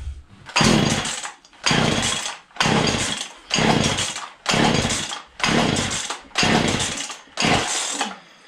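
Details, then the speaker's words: Old Husqvarna 235 X-Torq chainsaw pulled from a snowbank, unused for a long time, primed with full then half choke: revs in rough bursts about once a second, dropping back, never steady; running poorly, owner suspects a poor fuel pickup. "so um after all it's almost like the fuel pickup there ain't working too good really gotta prime it"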